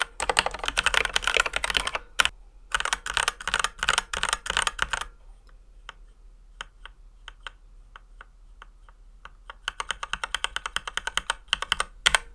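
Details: Ducky x HyperX One 2 Mini keyboard, stock unlubricated switches before modding. Sharp, high-pitched clacky keystrokes with hard top and bottom-out, a faint metallic ping and scratchy travel.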